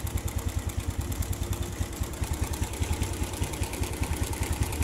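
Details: Suzuki Smash/Shogun 125 motorbike, rough "klotok" engine noise: rough idle with a fast, steady top-end clatter on every firing pulse; cause found to be a slack cam/timing chain from a loose tensioner adjuster, fixed later with a 10 bolt, 6.5 cm long, with a locked nut.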